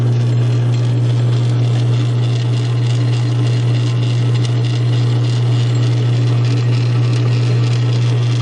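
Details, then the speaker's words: South Bend 9-inch lathe converted from Model B change gears to a Model A quick-change gearbox, gears oiled, aftermarket gear fitted, only the gear train engaged: steady, even low hum with faint light chatter and no knocks or grinding, running smoothly. "I just want to show you how it sounds with just the gear train engaged. Disengage the levers here. So now everything from here to that one tree shaft here is going to be spinning."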